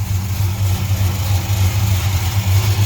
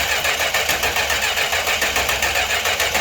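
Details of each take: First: 1968 Chrysler Newport Custom with a new Holley Sniper EFI, restarted for a timing check and warmed up, fluid burned off the headers. A deep, steady, even burble with no misses, knocks or hunting: a healthy idle. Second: 1968 Chrysler Newport with newly installed Holley Sniper EFI and Hyperspark ignition: even cranking at about three and a half beats per second for ten seconds, no catch and no fire.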